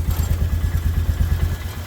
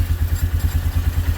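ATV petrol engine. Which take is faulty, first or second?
first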